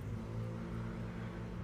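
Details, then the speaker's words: 1995 Honda Civic, stock fuel pump just replaced with 255 LPH high-performance pump, battery reconnected, key-on priming several times: quiet steady low hum for a couple of seconds. Car later starts with no check engine light. Normal priming. "you know I can hear the the pump turning on to three and one more time"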